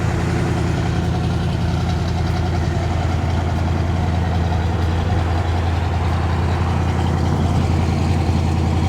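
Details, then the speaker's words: Restored 1967 Impala SS, big block with a 4-speed, on a roughly 60°F day, heard walking around it from back to front: deep, steady, evenly loping idle with no knocks or ticks; sounds healthy. "Sounds good from the back. Sounds good from the front."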